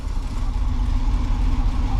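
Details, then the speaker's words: 1979 G10 van V8 after sitting, cold-started in snowy winter with fuel poured down the doghouse, choke off: deep, uneven lumpy rumble struggling to hold idle, producing heavy smoke. "She ain't happy about running, but she is running."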